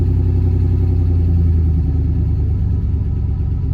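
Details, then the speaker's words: 1996 Chevy Silverado 5.7L V8 after cleaning the idle air control valve and replacing its O-ring: cold start at about 55°F settling into a deep, steady, even idle with no stumble or hunting, a normal healthy idle. "pretty smooth cold start cool start of the day though and it is cold out here in texas right now"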